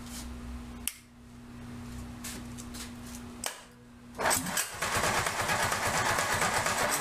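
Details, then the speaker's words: 1947 MG TC XPAG engine, run on a stand after about 40 years lying on its side, primed with fuel squirted into it: slow cranking beats, then a ragged uneven run at about three pulses a second with a cloud of smoke before it stalls. Carburetors not yet working, no cooling water connected. "well how about that didn't run very long but it runs a cloud of smoke and a hearty high hole silver"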